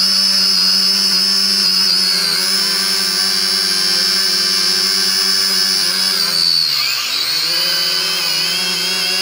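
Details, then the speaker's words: Syma X5C-1 quadcopter at the lowest motor setting, listening prop by prop: steady high whine, with one rotor sounding thicker and rougher. Propeller imbalance. "so I'm listening to them and I'm hearing which one kind of sounds like it has more vibration or it's a little bit louder instead of that high pitch wine to it"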